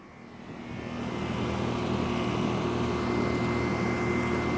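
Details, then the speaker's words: Heil scroll-compressor air conditioner outdoor unit just after start-up, camera by the disconnect box: steady low even hum with soft fan whoosh, no knocking or rattles; quiet, healthy running. "It's really quiet. Quiet unit."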